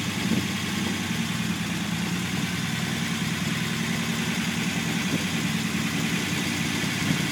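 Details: Unimog 404 first start-up after new fuse boards and a rewire; steady, even idle with a low rumble, no knocks, ticks or hunting, sounding healthy.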